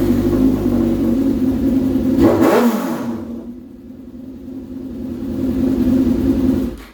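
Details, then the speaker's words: Suzuki GSXR 600 project bike started after transmission work; smooth idle rising cleanly with each throttle blip and settling evenly, no knocks or rattles, running and sounding good. "But beyond that, she's running. She's running pretty good, actually. She sounds good."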